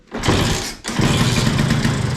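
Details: LML/Vespa hybrid scooter, first start attempt after getting spark: a kick, short pause, then rough churning that never settles into a running beat; engine turns over but won't start.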